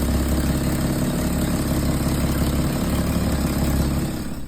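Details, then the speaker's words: 1934 Dodge Peter Pirsch fire engine, first start after years unused, with a new fuel tank and a Blue Streak coil replacing the original Dodge coil, oil very thick: steady, even low rumble with a regular beat, no knocks, sounds healthy internally. "one step closer to your parade she runs pretty good the engine sounds good internally I don't sense any"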